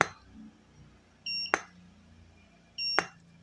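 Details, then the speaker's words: Goldphoto GP-250 studio flash after repair, fired at full power: a short high beep before each sharp crack, repeating about every 1.5 seconds; fires and recycles normally, noted as unusually fast for a Chinese lamp. "Mantep, mantep teman-teman. Kita tes di full power ya. Kita tembak. Dengarkan teman-teman."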